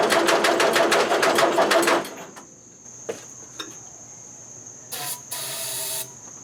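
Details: Allis-Chalmers Model B four-cylinder gasoline tractor, sat eight years, after carburetor cleaning: slow even cranking about three strokes a second for two seconds, stops without firing; fuel believed present, compression good, no spark at plug; cranking no-start, no spark.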